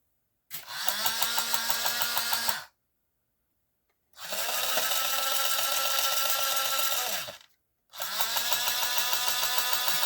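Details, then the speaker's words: Lionel 6-12741 intermodal crane, running original unit: small motor whirs in short runs with a steady knock about three times a second; owner suspects a cracked or deformed gear. "you can hear that knock and that's what I'm thinking that the if the gear is not cracked it might be deformed and as it revolves around um spins around it strikes the other gear and creates that knock"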